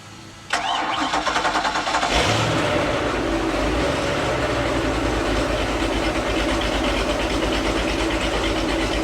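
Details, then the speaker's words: 2003 Baja 33 boat, starboard engine started during pre-purchase check after the port engine made a bad noise; brief crank, catches cleanly and settles into a steady, even idle with no knocks. Starboard engine sounds good; normal start and idle. "That sounds good."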